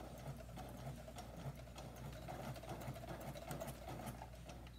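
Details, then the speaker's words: Sewing machine stitching slowly, possibly with sequins from prom gowns inside: slow even stitching chatter with a faint rough grinding under each needle stroke, never heard before; needle grinding noise, cause not confirmed. "For some reason, my needle is making this weird noise, and it's kind of like grinding, and it's never done that before."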